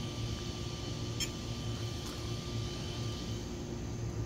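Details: Castle Mamba Monster XL2 ESC after replacing blown external capacitors with identical Panasonic units: steady, even high-pitched fan whine over a low hum, no rattle; ESC cooling fan working, ESC and cap packs not hot.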